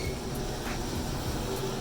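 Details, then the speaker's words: Chamberlain 995 XD5 screw drive garage door opener after inner slide replacement, run without door attached: steady motor hum with even whir, no grinding or catching; normal operation. "All right, it's going open. Don't want it to go too far, so I have my finger on the button."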